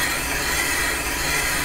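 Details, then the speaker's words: Pre-1920 flat-belt Shepard gap-bed lathe boring the damaged main bearing bore of a Caterpillar D2 5J1113: even, continuous scraping hiss with no skip near the end; steady, consistent cut. "okay about an eighth inch left good that hit consistently all the way around towards the end"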